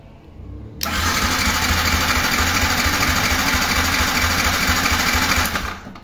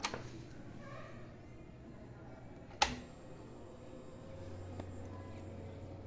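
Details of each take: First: Yamaha YZF R15 fuel-injected motorcycle that died and won't restart: about five seconds of even starter churning, roughly three beats a second, never catching despite confirmed injector pulses and spark; cranks but won't fire. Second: Yamaha YZF R15 fuel-injected motorcycle that shut off and won't restart: key on gives a click, then a faint steady low hum as the fuel pump primes, so the pump activates normally and is ruled out.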